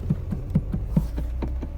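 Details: Mercedes W210 steering play with dull, regular clunks about four or five a second; car wanders on bad roads, front end and steering box checked fine, traced to a loose bolt on the steering shaft universal joint.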